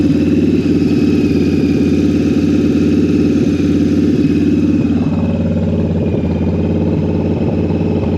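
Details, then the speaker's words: Two-cylinder bobber motorcycle with Cobra exhaust, after carburetor synchronization: steady, even low thump at idle with no hunting or stumbling; normal idle with carbs balanced. "That's pretty good. All right. Carburetors are synchronized."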